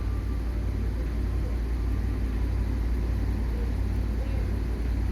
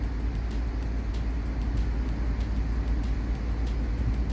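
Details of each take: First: Audi S6 5.2 V10, 108,000 km, codes P2187/P2189 lean at idle: deep steady idle with slightly uneven loping beat; rough idle, suspected unmetered air at throttle body from stripped threads. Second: Audi S6 5.2 V10 petrol with misfire codes (P0300; cylinders 4, 7, 8) and earlier rough idle from throttle-body vacuum leak due to stripped threads; now idles fairly evenly with steady deep hum, no obvious stumble.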